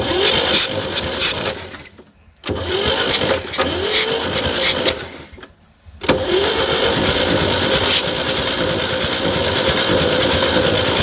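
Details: 1960 Chevy C10 235 six, sat 40 years, replacement starter with swapped solenoid on dummy switch: engine spins over in steady bursts with uneven chug and pauses; cranking normal, later compression test shows stuck valves.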